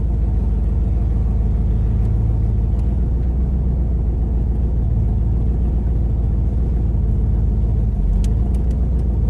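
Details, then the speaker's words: Mustang just restarted after a dead battery and a flooded carburetor, recorded inside the car driving home: heavy, uneven, lumpy drone. Engine running rough. "we're going home you can actually hear how terrible this thing will run"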